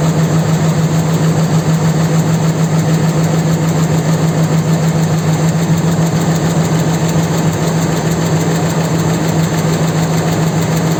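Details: 4.7 engine at idle: steady low drone with fast, regular tapping about three per second; knock cause unclear.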